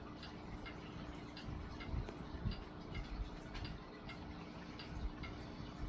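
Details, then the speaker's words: Vintage Lakewood Country Aire C-720-3 three-speed box fan with Westinghouse motor, on low speed: soft even low hum with faint light tick, no rubbing or wobble; normal running. "Yeah, imagine that running on low in your window. It's wonderful."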